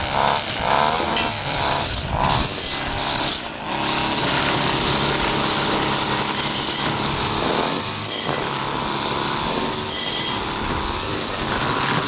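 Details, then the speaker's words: Husqvarna two-stroke trimmer after carburetor clean and reassembly, test run without air filter: high steady buzz picking up and dropping cleanly with throttle; runs properly, high needle maybe needs slight tweak. "maybe some slight tweaking of the high still but that's about it yeah a okay I think that's got it"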